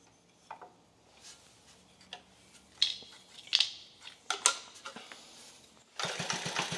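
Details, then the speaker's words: 1950 REO engine after carburetor adjustment and badly worn ignition points sanded (no replacement set): restart without choke catches on the first pull and settles into even, regular firing; starts easily, runs healthy. "But it does run. We did get it running. It starts right up. I didn't even have to choke it that time."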